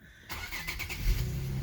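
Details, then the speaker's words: 2007 Infiniti G35 with a no-crank, no-start fault, after the fix in the passenger-side box: brief crank catches almost instantly and settles into a steady idle with no clicking or hesitation. "look at that now it's good everything works all right"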